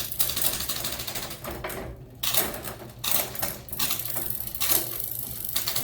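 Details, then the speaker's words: Mountain bike with a SRAM GX Eagle drivetrain running a SunRace 51-tooth cassette, shifting through gears; crisp single clicks at each shift with a light chain whir and no grinding or skipping, shifting smoothly. "This is the best I can do to get some video footage of it shifting. But here we go. You guys can hear that, it's nice and smooth."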